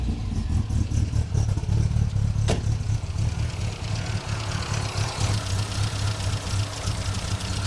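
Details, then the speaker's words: Supercharged MGB with a Weber DCOE carburettor and 123 Tune+ distributor, on a last-ditch tuning start: deep, lumpy, hunting idle with no steady rhythm. It is still rough, and the owner suspects fueling and timing. "Well, it doesn't seem that different so far, guys."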